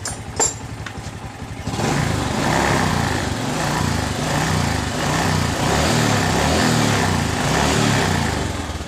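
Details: Honda Supra X 125 motorcycle after its regulator was replaced with a Smash regulator: fires after a few clicks and settles into a steady, even putter with no misfire, lights bright; normal idle.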